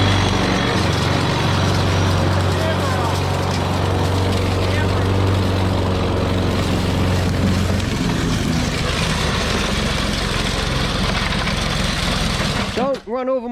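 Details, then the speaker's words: Old lawn mower with a bent blade shaft, possibly flooded after being tipped on its side: it chugs unevenly with a wavering note and a thump, then sags and stalls; afterwards it seems to have no compression, cause unclear. "that didn't last too long but that doesn't sound good did you hear that did you hear that thump I heard a thump"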